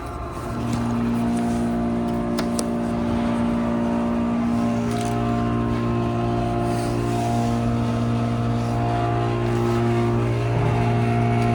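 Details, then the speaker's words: Modernized 1991 Otis Series 1 hydraulic scenic elevator, cab fan off, riding up: steady loud low hum with buzzy drone as hydraulic pipe vibrates under pump pressure—loud hydraulic pipe noise with vibration. "The pipe's so loud it makes it vibrate."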